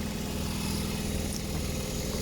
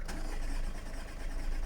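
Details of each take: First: Audi A3 sat about 3 months, just started after a slow start, weak battery suspected: steady, even idle with a smooth low rumble, no knocks or misses; normal idle. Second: Audi A3 sat about 3 months, coolant and oil-pressure warnings, owner suspects weak battery; cranking with an external booster attached: steady starter cranking, brisker and more even than before.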